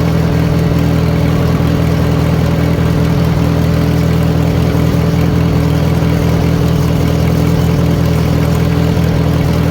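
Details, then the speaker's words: 1940 Farmall H, after retiming stuck distributor: loud steady idle with regular firing pulses about four per second, no stumbling; poor timing was the main cause of bad running, carburetor may still need attention. "so it's running pretty good the carburetor probably needs G through but I'm going to tell you right now those that timing was definitely a big issue as to why this tractor was running bad"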